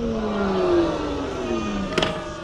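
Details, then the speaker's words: EGO 7.5Ah lawn mower battery, about 2 years 2-3 months old, status light red despite long charge: motor whine starts then pitch drops steadily as it coasts down, ending in a click; mower shuts down immediately after starting, battery suspected. "now let's see what happens when i fire it up kind of keep your eye on the status light right there immediate shutdown"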